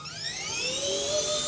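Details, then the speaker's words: RC ERA C190 Airbus H145 RC helicopter after main gear replacement: clean whine climbing steadily in pitch as the rotor comes up to speed, with no gear chatter; gear noise gone, smooth hover, swashplate tuning still to do. "There you go. Very smooth. I land it and I have to do the tuning. That's a different topic. But uh this thing the gear noise is gone."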